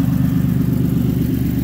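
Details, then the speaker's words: 2006 Chevy Impala LT 3.9 V6 automatic, 151k miles, being parted out: loud raspy idle with coarse low rumble and rapid puffing throb from a shot exhaust, while the engine itself runs evenly and sounds good. "try to get started for you so you can get a little bit of a listen even though it's quite loud with the exhaust being shot"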